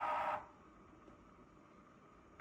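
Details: Dyson PH04 purifier humidifier, replacement unit about a year and a half old: short rattling whirr bursts, pauses two seconds over faint fan hiss, then repeats; intermittent internal clattering, sometimes at night.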